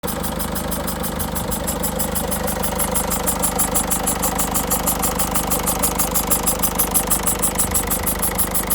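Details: 2006 Peugeot 307 1.6 HDI diesel just started after a new battery was fitted: steady idle with a fast, even, sharp hissy tick about twice a second; owner suspects the injectors, unconfirmed.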